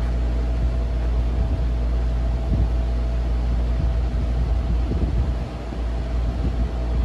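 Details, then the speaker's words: Vintage Turkish-made RAKS DF-12TK desk fan (110/220 V, 50/60 Hz), after lubrication, cleaning and gearbox plunger repair (had been seized): smooth, constant low hum with faint steady whir, no rattle or scrape; runs cleanly and powerfully. "I'm pretty sure I didn't pay more than $5 for this thing, but it's a pretty good fan. It's pretty powerful."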